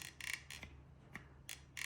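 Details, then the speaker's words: Mahindra Thar door check strap worked by hand with the door removed gives sharp, dry creaks each stroke, like an old door; dry check needs grease there, since lubricating the hinge won't reach it. "अगर इसके साथ हम दरवाजा लगा देते हैं तो पूरे दरवाजे के अंदर से साउंड आएगी।"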